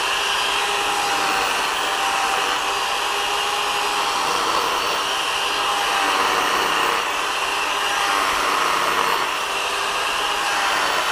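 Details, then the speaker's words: Bosch drill after brush replacement: high steady whine with rough rasping edge that wavers, noise depending on drill position as if rotor rubbed stator; motor seat full of dirt, later cleaned. "Y aunque parece que va algo mejor dependiendo la posición del taladro seguía haciendo ruido Como si rozara el rotor con el estator"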